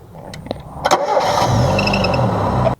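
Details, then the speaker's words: Engine starting with a thin high chirping squeal over the idle while tightening the alternator belt half a turn at a time; the belt is stretched and the adjustment range is maxed out, so it needs replacing. "check if you still hear the I still hear the there's still about squeak we tighten the adjusting bolt 1/2 turn again then we test again we're starting the engine"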